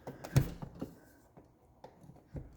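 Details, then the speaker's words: Challenger CH-1000 garage door opener (rebranded electronic door lift), before repair: a few faint, scattered clicks with no motor hum, and sliding the limit switch makes no difference. It was later fixed; cause not stated. Opener clicks but motor does not run. "so this thing doesn't work right now um just clicks when you try to run it and let me plug it in"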